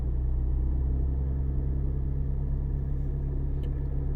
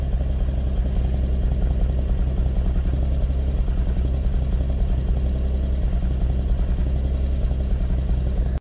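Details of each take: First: Lexus IS200 six-cylinder petrol engine idling smoothly with no stumbles after an ignition coil replacement; OBD misfire counters read zero on all six cylinders. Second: Lexus IS200 petrol six at cold start, low rpm: uneven, stumbling misfire from a failing ignition coil; smooths out once warm, no check engine light.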